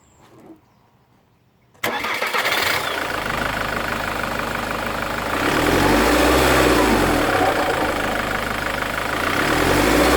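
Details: Mk3 Ford Mondeo TDCi 130 diesel: breathy sucking whoosh when coming off throttle as revs fall; persists after turbo and EGR replaced; owner suspects possible faulty injector given occasional misfire feel.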